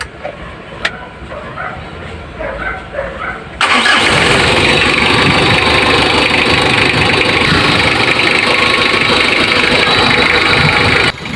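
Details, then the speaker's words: Mitsubishi L300 diesel that was smoky and lacked power, small timing belt snapped, after replacing both timing belts and both tensioner bearings; brief crank, catches at once, steady even idle, no misfire or knock, healthy. "Medyo okay na. At siyempre, di na tayo magdugay. Revolusyon na tayo dito."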